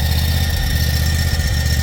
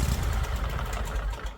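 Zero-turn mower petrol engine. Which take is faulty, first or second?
first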